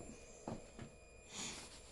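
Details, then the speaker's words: Bullit Hero 125 motorcycle, ignition switched on with OBD reader connected: couple of soft clicks then brief faint whir, normal fuel pump priming; no fault codes stored. "On entend un petit bruit. Voilà, on entend ça, c'est la pompe qui se met en route."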